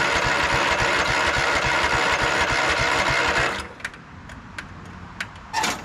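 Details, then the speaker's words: 2004 Craftsman LT1000 ride-on mower: the starter churns at about three and a half pulses a second but the engine never catches. Owner suspects the fuel solenoid isn't clicking. "it's acting like the fuel solenoid isn't clicking"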